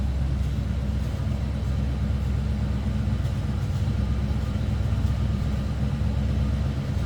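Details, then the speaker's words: 1973 Buick Electra 225 Custom V8 warming up at idle, heard from the rear of the car; deep, steady, even rumble with no knocks or misses, running quietly: normal idle. "slip around to the back SE hear this run pretty quiet the"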